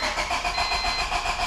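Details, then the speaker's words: Honda EK Civic, fuel pump fuse pulled and gas cap off to relieve fuel pressure before a leaking gas tank swap: steady rhythmic cranking at about five pulses a second with no catch or firing; cranks but won't start, out of fuel pressure. "it's basically out of pressure already it had no fuel to even spark over so that's perfect"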